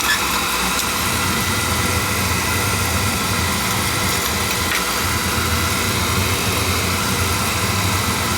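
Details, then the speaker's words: On a no-heat call, a small two-section McLean oil boiler whose burner started, stopped and made noises after pump pressure was raised (controls suspected) fires on a call for heat with an even, steady roar and no pulsing; normal oil burner firing. "Call for heat. Fire it up nicely."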